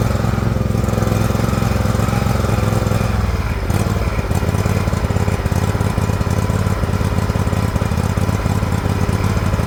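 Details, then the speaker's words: Liquid-cooled Kawasaki twin in an older John Deere LX178 project mower, run in the rain: deep uneven chug that stumbles and drops tone, running rich; carburettor flooding, leaking fuel onto the muffler. "I think flooding out real bad right slowing it down all right all right it runs the engine's great it's flooding over something terrible actually leaking fuel right out onto the muffler"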